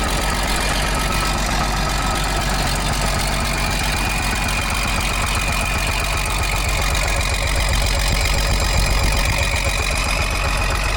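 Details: Rusty Fiat-Allis (Allis-Chalmers) 645B loader's diesel fired up after sitting: steady, even idle with a firm regular beat and no misses or stumbles. Engine sounds healthy.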